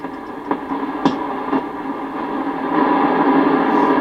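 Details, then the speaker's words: Sony CRF-320 receiver during restoration, volume up, tuning slowly through static: sharp clicks and pops about every half second; crackling suspected from dirty contacts or a bad solder joint in the pre-selector unit, to be cleaned. "there it is I can hear some clicking and popping in there so it sounds like there's some dirty contacts or something in here maybe a bad solder joint"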